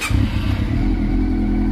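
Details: Honda CB400 Super Four that overheated and became noisy; the valve clearances had grown and were readjusted. Now being monitored: a steady low idle hum with an even beat and no ticking; quiet again, normal idle.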